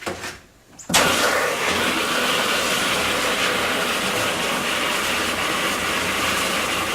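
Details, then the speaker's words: Navien NP210A tankless water heater on first activation, hot water line opened: soft thump then steady even burner roar with hiss and no sputter; normal burner ignition. "And I think I heard it start."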